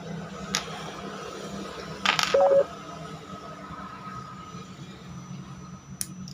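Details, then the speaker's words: Indoor home AC fan motor after bearing repair to cure rough growling noise: low, steady hum with a faint even whir and no rumble or wobble, apart from a couple of handling clicks; motor now runs smoothly. "coba nah sekarang untuk suaranya ini udah tidak ada udah halus dariarannya juga udah berbeda tidak goyang seperti tadi"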